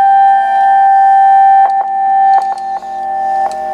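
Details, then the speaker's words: Yaesu FTDX-560 ham transceiver after repairing a broken VFO wire, signal generator injecting a test tone: clean, steady tone with faint background clicks; still receiving the signal at about -120 dBm, working normally. "That's about a minus 120 dBm, and it is still hearing the signal."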